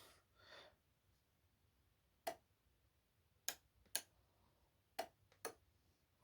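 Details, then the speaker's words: Train Tech RL1 relay controlled from a Roco Z21: a handful of sharp single clicks about a second apart in a quiet room as the outputs switch on and off; relay switching normally. "so you can hear the outputs coming on and going off"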